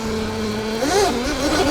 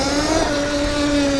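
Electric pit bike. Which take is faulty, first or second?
second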